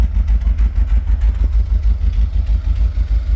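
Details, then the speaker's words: 1982 Pontiac Trans Am Crossfire Injection V8, parked 30 years, just revived on fresh fuel: idling with an uneven, stumbling exhaust beat, a bad misfire; owner suspects spark plug wires and plans to reroute them. "Uh here it's got a pretty bad miss. I'm sure you could hear that on camera, but we'll be back once we figure that out."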